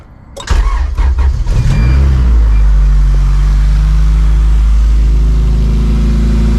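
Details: Honda CRX LSVTEC with a Borla exhaust in place of the DC Sport canister, cranked after a fuel-leak check, heard outside: brief crank, quick catch, steady deep even idle, no knocks or rattles; normal start and idle.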